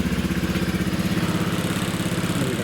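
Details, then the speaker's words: Honda Vision 110 scooter just after swapping in a new engine, fresh oil, running: small single-cylinder chugging about eleven beats a second with a buzzy vibration on top; something up high is rattling. "vibration you can hear which is uh something up the top there"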